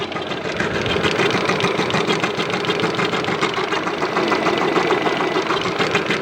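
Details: 2013 Lada Granta engine at idle: steady even tapping about three per second near the belt drive, no error codes, rpm unaffected; cause given as the belt, possibly after air conditioning use; knocking at idle.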